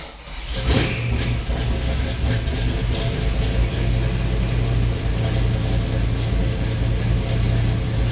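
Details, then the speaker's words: Jeep CJ Scrambler with an AMC 360 V8 built by Wells Racing, estimated at 300-350 hp: a deep, strong rumble picks up cleanly and holds an even, lopey beat with no knocks or ticks, healthy. "It is really making good power. I feel like it's making probably definitely north of 300, could be 350, but I want you to hear this run. It's great."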